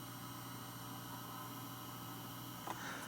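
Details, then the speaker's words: Dell XPS 8700 with GTX 980 reference card, mic by the PC case fan; owner thinks the hard drive is the loudest part: steady low hum with a faint constant whine, no clicks or grinding; drive and fans running normally. "That's the PC fan. And then, like I said, I think the hard drive makes the most noise out of everything in here."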